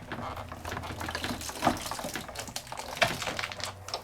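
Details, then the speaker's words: Sizzix Big Shot machine die cutting a tight stack of about seven sheets: irregular crackly crunching and snapping as the stack rolls through the rollers, the normal sound of the die cutting. "But you hear it making all that noise. Noise is good. Noise means it's die cutting."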